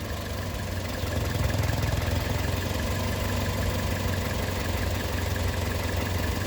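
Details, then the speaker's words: Petrol car idling after an induced purge-valve vacuum leak is switched off: steady low even rumble; O2 sensor switching again and fuel trims back near zero. "And now it's switching. And now it's happy again. Fuel trims are pretty much at zero here."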